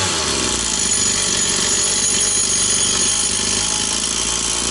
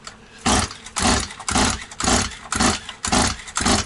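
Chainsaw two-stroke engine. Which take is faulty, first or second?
second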